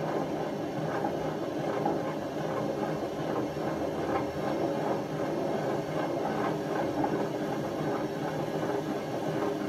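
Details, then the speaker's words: Hotpoint First Edition FEW12 washing machine left outside for months, spinning without water: continuous deep train-like roar and rumble, drum never reaching full speed, among the worst bearings seen on a working machine; badly worn drum bearings. "I don't know if I've ever had one as bad as that that worked"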